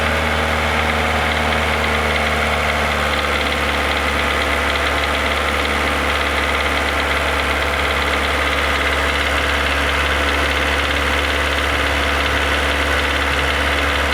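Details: Renault Logan 1.6 16-valve, 19,000 km with the noise: steady idle with rapid light knock about three or four a second, uneven, heard only around 2000 rpm; dealers unsure, latest guess hydraulic lifter, owner suspects otherwise.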